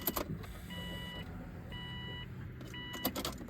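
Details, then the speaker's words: Subaru WRX with hybrid EJ 2.0/2.5 engine before first start, start map just loaded: key clicks then a thin steady electric whine in half-second runs repeating as the key is cycled; normal fuel pump priming. "you can hear the fuel pump priming I'm going to cycle the key a couple"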